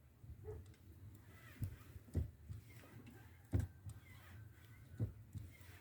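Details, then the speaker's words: VW Passat B3 (35i) clutch pedal after lubricating its friction points, including the steering column bolt, with penetrating fluid: soft thumps as pedal pressed and released, no crunch or creak; pedal now quiet. "как слышно хруста нет начинаем сборку"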